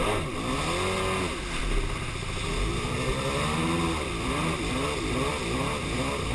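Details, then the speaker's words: Superjet jet ski, misbehaving since a refuel, with fresh gas and even compression: revs rise and sag with a ragged, stumbling note, as if running on one cylinder. Owner suspects plug wires or ignition. "Yeah, something ain't right. It's like it's running on one cylinder. That's really what it feels like."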